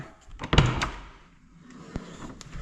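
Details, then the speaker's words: Door on a Case 600 forage blower, repaired so it latches: one solid thunk as it swings shut and catches cleanly, then quiet; firm shut, latching normally. "I have this door so that it latches. You can see that it's a pretty firm shut."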